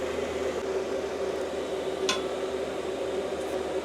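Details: Cheap Chinese diesel heater wall-mounted in a workshop, about three to five minutes after start-up, readings climbing from 23–24° to around 47–50°: quiet, steady fan hum with a constant low tone, no surging or knocking; running normally.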